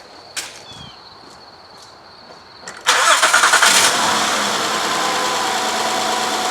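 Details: 2012 Honda Odyssey 3.5L, 141,000 miles, codes P0303 cylinder 3 misfire and P0420, after moving plugs: clicks then engine catches into slightly uneven idle; misfire from faulty spark plug, moving to cylinder 4 with the plug.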